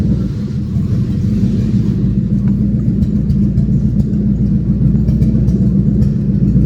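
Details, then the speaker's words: Mustang drift car with H-pipe removed, running open pipes, chasing persistent check engine light: loud, lumpy V8 rumble with uneven stumbling beat, sounds like missing; misfire suspected, not confirmed. "Dude, this thing sounds like it's missing its ass off. What the frick?"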